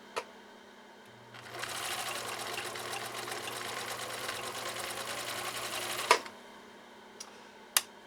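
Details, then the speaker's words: 1962 Husqvarna Viking 19E Special, sewing three layers of compressed felt: even, rapid stitching rattle starts, holds steady without labouring, stops cleanly; normal running under load, easy. "yeah I would I would classify that as easy"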